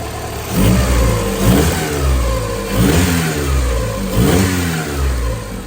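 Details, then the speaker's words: 1990 Honda CRX HF with tired engine, distributor bolts not all in, timing unchecked: engine blips up and settles back a few times, pulling cleanly with no knocks or misses; sounds healthy. "REV do that [Music] again sounds like a CRX on it yeses that is cool"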